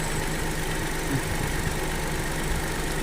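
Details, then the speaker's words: Chevrolet Tracker three-cylinder engine at 40,000 km idling; steady low idle with slight even throb, no knocks or rattles, the noise owners complain about judged typical of three-cylinder engines: normal three-cylinder idle. "meu motor parece tá normal tá pessoal is é comum de motor TR cilindros então acho que não há o que se preocupar quanto a isso"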